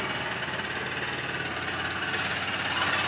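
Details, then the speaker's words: BS6 Honda CB Unicorn 160 at idle with a non-working RPM meter: light, quick tick-tick ticking with sharp top-end chatter over a thin single-cylinder idle; source not pinned down. "ये देखो आवाज़ आ रही है, ये टिक टिक टिक टिक की आवाज़ आ रही है।"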